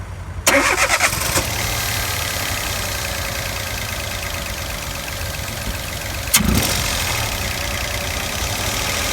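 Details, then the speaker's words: Peugeot 107 / Citroen C1 / Toyota Aygo 1.0 three-cylinder petrol with misfire and flat acceleration, air cleaner off: rough, shuddering idle and revs, running on two cylinders with one missing. "and when you rev it you can hear it not doing that horrible Missy sound little shaky shuddering so we know we're only running on two cylinders you can tell it's two and one of them is missing"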